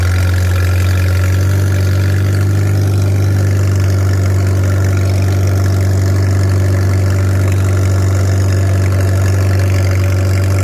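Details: Farmall 300 Row Crop, 600-hour tractor, test drive after exhaust manifold replacement (original rusted through) and clutch adjustment, camera on chest rig; steady low even engine note under light load, no knocks or misses; running smooth and healthy.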